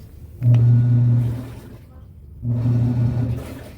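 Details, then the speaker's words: Electrolux washing machine (labelled 21 kg) after fixing the noise from a part at the motor pulley: two smooth low hums of the agitator stroking back and forth, no knocking or squeal, normal wash agitation. "Ya no suena. Suena ya el [Música] motor. Ya suena lo normal que tiene que sonar."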